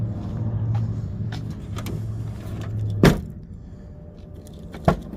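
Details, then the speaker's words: 2009 Chevy Cobalt LT from insurance auction, 58,221 miles; low hum, then sharp clunk as trunk lid releases and solid thud as it latches, trunk opens and shuts normally. "trunk opens and shuts fine"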